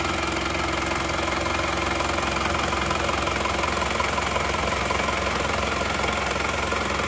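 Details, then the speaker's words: Isuzu Panther LS automatic diesel, after fourth engine overhaul in 7 months, started after replacing aftermarket 13 mm racing rotor head with correct one: even, steady idle with smooth regular beat, no miss, far less vibration than before; normal diesel idle. "Sekarang mari kita starter ternyata suaranya jauh lebih halus dan lebih rata"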